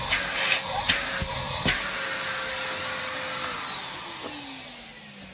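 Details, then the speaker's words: Used 2007 Numatic Basil NB200 vacuum cleaner, run at first power-up without a bag. Smooth motor whine that winds down evenly in pitch with no rattle or grinding; it sounds healthy. "yeah that sounds really nice"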